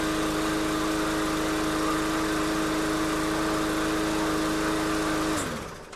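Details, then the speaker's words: MTD push mower with a small Briggs engine, formerly shaking and vibrating, after the part on the output shaft was snugged up: clean steady hum with no shake or knock, then shuts off; smooth as new. "That is uh as smooth as brand new. So that's good."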